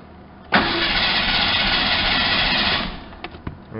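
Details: Ford Ranger pickup unstarted for about 8 years, after a new fuel pump and 5 gallons of gas: the starter spins about two seconds, it catches briefly, then dies at once. Crank-fire-stall from lost fuel pressure; an unplugged connector was later found.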